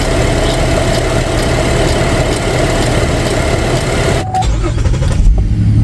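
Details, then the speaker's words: 2011 GMC Acadia after replacing a broken purge valve: loud, steady low idle rumble with no misses or knocks; earlier constant burbling and excess exhaust smoke are gone. "just the idle itself sounds a lot better and before there was kind of a burbling sound all the time no more burbling"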